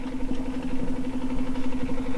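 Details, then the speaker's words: 1968 VW Beetle, during a start attempt with the fuel filter looking empty: a low, steady, quiet hum with faint fast pulsing; the fuel pump runs weak and slow instead of making a lot more racket. "no the pump should be making a lot more racket than that I don't know why it's so slow"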